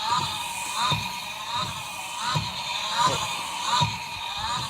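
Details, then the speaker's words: Mercedes B200 W246 front windscreen wiper motor (A2469066000), ignition and wipers on: grinding groan with squeak about every 0.7 s in step with sweeps; motor or its gears suspected failing, later replaced with A-Class motor; wiper motor grinding noise. "had a problem with the window wipers they started making this atrocious noise"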